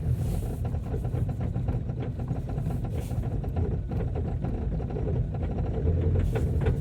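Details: Ford Focus 2.0 TDCi diesel after a hard cold start following a freezing night (about -18 to -24 °C): rough, clattery idle with a loose uneven beat while warming up; normal cold diesel idle.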